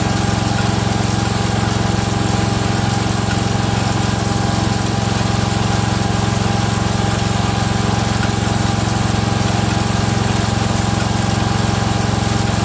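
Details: Freshly rebuilt Kohler single-cylinder engine in a Cub Cadet 102, cold first start, steady run with a regular light click around 220 a minute from the front pulley coming apart; the rod is not loose.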